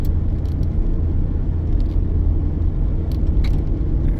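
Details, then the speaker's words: 2001 Chevy Suburban driven on the road after replacing the front hub bearing that made a crunchy grinding noise: only smooth low road rumble and steady engine hum, no grinding or growl; hub bearing now quiet. "let's go down the road yeah it's quiet now and there it is"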